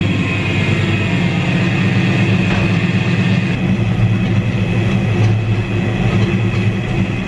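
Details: Car using ATF type F power steering fluid: a steady high-pitched whine over a low engine hum, suspected to be power steering pump whine; Lucas power steering stop leak is the intended fix.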